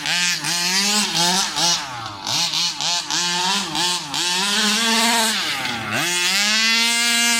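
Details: New Rovan 36cc double-ring two-stroke in a King Motor Baja 5B, head gasket removed, warm, repeated full-throttle pulls: buzzes up sharply to a clean high scream without bogging; strong, normal acceleration.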